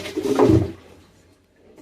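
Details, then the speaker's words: Samsung washer-dryer with a broken drum shaft: the stainless drum is loose with large play, giving a dull knock and scrape of the shaft rubbing at the back, then a clunk; it can rub the sides and lock on the plastic tub. "a gente pode ver que o inox tá solto e o barulho ele é bem característico do eixo raspando lá atrás ó podemos ver também a folga que fica é uma folga grande"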